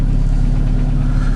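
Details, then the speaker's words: Chevrolet Cruze engine at 239,000 km, heavy steady low idle with a dull knock at engine speed; endoscope showed good hone, no scoring; piston knocks on reversal, part of the piston skirt broken off — piston slap. "Я смотрел уже эндоскопом в этот мотор на диагностике Хон отличный задиров никаких нигде нет слышно как поршень стучит во время перекладки"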